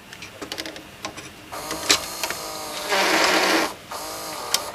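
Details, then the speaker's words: Sharp VCA-series VCR mechanism during service, running with the capacitors removed and possibly the belt off: busy whirring with fast clattering and a louder rushing stretch; the mechanism motor is noisy, cause unconfirmed. "without caps the motors noisy again I think that's what making that noise"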